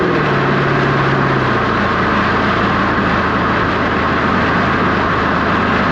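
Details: 2007 Dodge Magnum SRT8 V8 wagon, hot day (~100°F+), GoPro mounted at the rear by the exhaust, started up: deep, steady V8 burble, even firing with no ticks or misses; a healthy exhaust note.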